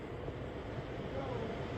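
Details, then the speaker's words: Newly installed Pioneer mini-split outdoor unit on 240 V, first power-on set to 73: low steady hum and even whir, no rattles or surges; normal running. "Let's power it on. I can turn it off. Power. 73. Oh. 73. I hear it running."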